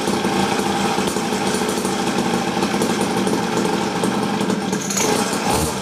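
Steady raspy two-stroke drone held at high revs, buzzy but not screaming; small engine exhaust sounds healthy and fairly muffled.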